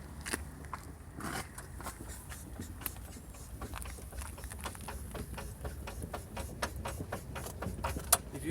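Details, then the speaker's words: Mercedes AMG driving over road holes: sharp irregular clicks and knocks over low road rumble, only when the left front wheel hits bumps, caused by a loose front stabilizer bar bolt. "okay so this sound which you heard before a while it's happening when you drive on the on the on the holes on the road and it doesn't come when you drive two wheels but it always comes when you bump on the left wheel"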